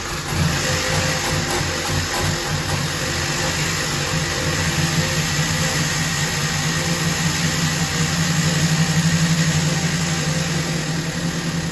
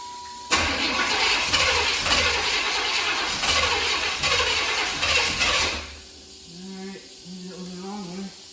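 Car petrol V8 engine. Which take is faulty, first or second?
second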